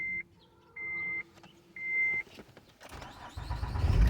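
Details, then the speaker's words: Acura TL (Honda) using the original key after aftermarket key failed: three short chimes, brief crank, engine catches at once into steady idle; security light no longer flashing, immobilizer no-start resolved. "starts right up i said ain't this a goddamn learn something new every day"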